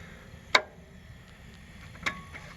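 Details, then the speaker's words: Encore Fuzion mower, Kawasaki FR600V, no start, starter unhooked, battery good: two crisp single clicks about a second and a half apart, test light shows output side hot; normal solenoid click, fault traced to a bad grounded starter. "when you click the solenoid you can see I have contact on this side now which means this is now hot"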